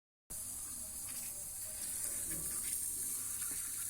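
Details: Building water supply pipe, checked after high usage raised suspicion. A constant airy hiss of water escaping under pressure, steady and unbroken, comes from a cracked pipe that was found leaking.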